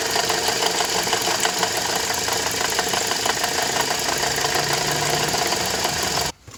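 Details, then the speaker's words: Toyota Corolla 150 at idle: light metallic knock-rattle about three a second, first mistaken for the water pump; the alternator overrunning clutch pulley had heavy play and had fallen apart, confirmed with the alternator belt loosened. "скину ремень генератора в общем услышал стук бряк похожие такое было когда помпа сломалась вот сейчас думал что помпа разобрал ослабил ремень генератора"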